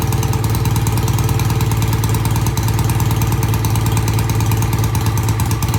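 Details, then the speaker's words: BSA A65 twin after carburettor cleaning: starts easily and idles with a steady, even low beat on both cylinders, with no knocks or misses; it runs normally before its test ride. "I think that sounds great got a good idle both sides sounds good easy start"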